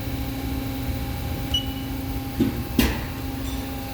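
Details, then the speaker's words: CNC lathe at power-up restart after the alarm reset: steady hydraulic hum, a brief beep, then two dull clunks as the machine homes to its origin, which it does at every startup; normal. "You'll hear some clunking in the machine, and what's going on right now is the machine is homing itself to the machine origin. It does this every single time you start up the machine."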